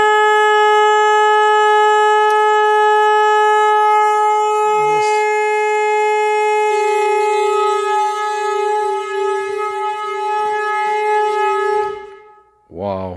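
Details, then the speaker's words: Car horn connected directly sounds a loud, steady, unwavering note for about twelve seconds, so the horn itself works; the fault lay in the wiring and ground. "that is noisy. Okay, so we know the horn works now."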